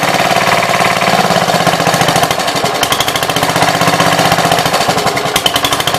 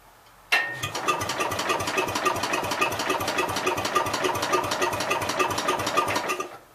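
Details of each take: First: 1966 Gravely C10 single-cylinder after no-spark fix by switching to a battery ignition coil: rapid, even popping at steady speed with no missed strokes; runs cleanly and strongly. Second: 1966 Gravely C10 with under-flywheel coil, no spark at all (trouble after washing it a year or so ago): starter spins engine at steady three or four beats a second with no firing; cranks but won't start.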